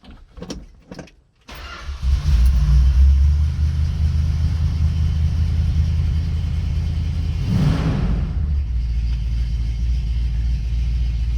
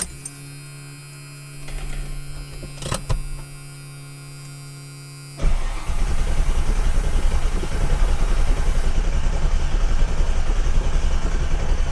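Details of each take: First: 1967 Plymouth Fury III start with the top up and windows nearly closed: short crank, quick catch with a small blip, then a smooth, deep, even idle that holds steady; engine sounds healthy. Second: Ford Mustang (1982) with MSD ignition and a large fuel pump: pump hums, then starter cranks evenly about seven seconds without catching; fuel pressure checked fine, so the fault is no spark; crank, no start.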